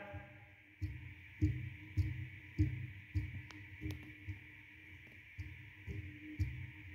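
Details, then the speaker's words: Langmuir Systems MR-1 mill cutting a steel part: uneven thumps, roughly two per second, over a steady spindle hum; milling chatter, owner suspects about .008" Z-axis backlash from a possibly worn lead screw as a main culprit. "So, yeah, pretty sure that's one of the main culprits for the chatter uh in the steel parts."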